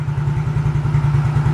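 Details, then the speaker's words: Older Yamaha X-Ride scooter with MIL code 46, sputtering then stalling: idle pulses unevenly with a lumpy, wavering beat and the lights flicker; weak, unstable battery voltage is starving the fuel injection. "nah Li teman-teman lampunya aja berkedip itu menandakan kurang stabil"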